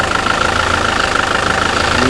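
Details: 2007 SsangYong Kyron diesel, 200,000 km, after flywheel and clutch replacement for a knock: steady, even idle with a soft regular pulse and no knocks or rattles; runs calmly and healthy.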